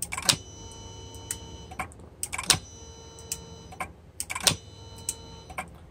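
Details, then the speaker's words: Mercedes non-ASR throttle actuator on the bench after clutch coil repair and rewiring: crisp, repeatable clicks as power is switched on and off, idle micro switch activating, actuator snapping to its stop with perfect alignment; normal operation, unit good to go. "micro switch clicks can hear the micro switch activate that's the idle switch and yeah so this unit is pretty much good to go"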